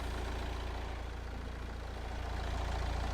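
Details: Nissan Qashqai 1.6 dCi (2013) diesel, previously crank-no-start with CAN communication fault U1000 traced to a corroded relay; steady low idle clatter at about three and a half beats per second, no misses; idling normally.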